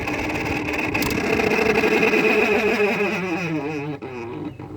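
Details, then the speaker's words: 2000 Whirlpool window air conditioner with worn bearings, switching off: steady hum then wavering squeal falling in pitch as it winds down, like a tornado siren; bearings suspected. Squeal at shutdown. "for some reason it turns off it sounds like a tornado siren shutting off lots of squeakiness"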